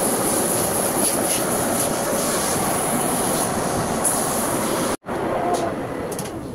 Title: Need Replace Rear Wheel Bearing Sound